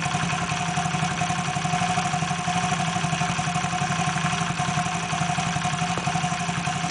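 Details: Steady, even idle with a smooth low beat and no knocks or rattles, heard after the engine's abnormal noise was fixed; normal idle.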